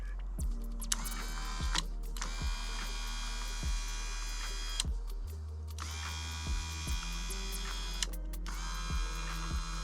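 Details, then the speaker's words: 1989 Toyota van's original window motor bench-run up and down; a smooth, even whir, much less noisy than the struggling driver's side, though the owner hears a slight pitch difference between up and down. "Let's see what this sounds like when I go up and down with it. Not nearly as bad as the driver's side."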